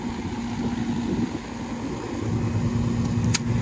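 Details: 1996 Goodman R22 AC condenser, after fan repair on a no-cooling call: steady compressor hum with a low tone and fan rush, even and smooth; running normally, noticeably cooler than when the fan wasn't working.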